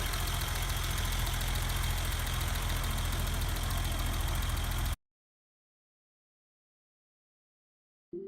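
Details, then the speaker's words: BMW E30 with M20 engine at steady idle before a valve adjustment: a light, even tick at about three to four per second, common on M20s; it may or may not come from poorly adjusted valves. "as you can hear there is a bit of a ticking noise which is quite common in these m20 engines and may or may not be related to poor valve adjustments"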